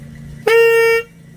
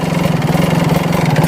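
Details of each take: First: Ninja RR old (CBU) HSAS reed valve blown through by mouth: a clean, steady trumpet-like buzz of about half a second, like a carb fuel membrane, showing a good membrane that seals and vibrates properly. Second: Kawasaki Ninja RR two-stroke with a badly worn HSAS membrane: lumpy, hunting idle that threatens to die.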